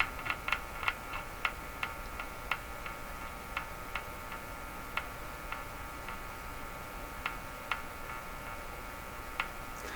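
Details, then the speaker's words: Crosley G2465 two-band radio at checkout: sharp isolated clicks over a faint steady hum as the chassis is touched, static charge balancing between chassis and person; hum traced to a capacitor circuit, chassis connection suspected. "when I touch the chassis you'll hear a click and then huh almost like you can hear me tapping it so the click part is a balancing of the charge between the chassis and me"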